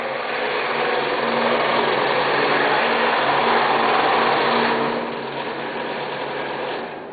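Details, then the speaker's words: Scroll saw cutting an arc after relief cuts, with small pieces of wood breaking off: steady, even buzzing hum from the reciprocating blade with a rasp of wood being cut, no knocks or rattles; normal cutting. "as I cut through my Ark here the little pieces of wood are breaking off relieving the stretch on the"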